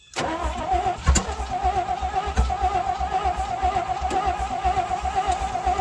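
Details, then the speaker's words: 1967 Chevrolet C50 truck, stored in a barn then sat outside for 9 years, would not idle after first start: steady even cranking at about two turns a second but it never catches; cranks without starting. "now it does not want to start what's going on with you little buddy let me give you a little drink"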